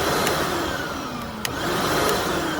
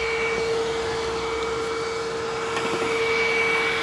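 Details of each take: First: Hoover WindTunnel Plus self-propelled upright vacuum, around 2008, after a mushy power switch was freed with penetrant: steady, even motor whine with a constant airy rush and no pitch wobble or grinding, so it runs normally. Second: Hoover WindTunnel self-propelled vacuum, free used unit, running on carpet at high setting: high motor whine whose tone fades and shifts partway through; runs very oddly and won't turn off normally, cause unknown.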